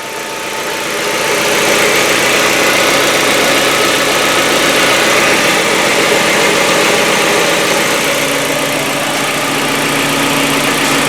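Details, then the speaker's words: Hyundai Getz, cold start after fresh oil and Liqui Moly hydraulic lifter additive: lifter noise lasts only 5–10 seconds, then even, steady idle with no valve-train ticking, smooth hum; lifters quiet. "Буквально 5-10 секунд. Затем двигатель работает ровно. Никаких постукиваний от гидриков не слышно."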